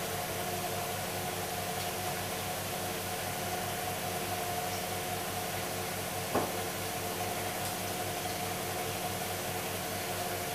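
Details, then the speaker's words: Hoover Dynamic DXCC69IB3 9 kg washer, final spin near the end (about two minutes left) of the cycle: soft, steady hum with gentle even pulse, no knocking or grinding; drum spinning smoothly and quietly. "the drum itself is making barely any noise at all as you can see starting to spin at full speed now comparing this to the machine I did have it's very very quiet"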